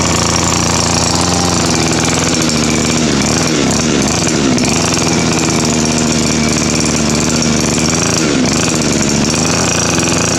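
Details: Two-stroke weed eater that wouldn't start despite fuel and spark, after clogged exhaust was burned clean on a stove and refitted; steady even high buzz with no stumbling or dropouts. Normal running after repair.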